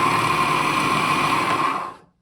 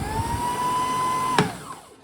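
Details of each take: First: Bernina Matic 810 sewing machine running with the bobbin winder engaged, before the hub replacement. Loud harsh screech with a high squealing tone for about two seconds each run; the worn bobbin winder hub slips and the bobbin sometimes stops spinning. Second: Bernina Matic 810 sewing machine after replacing bobbin winder hub to fix noise and slipping: steady motor whine climbs slightly and holds, then a click as the winder trips and spins down; no screech, no slipping; normal bobbin winding.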